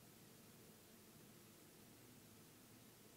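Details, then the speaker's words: Steady, even hiss with no other sound: Canon 80D preamp noise with manual audio levels set between halfway and three-quarters for a battery-powered Rode NTG4+, not from the microphone; lowering levels removes it. "I have it set to above halfway between halfway and 3/4 and you can hear a hissing sound now listen very carefully you can hear that hiss"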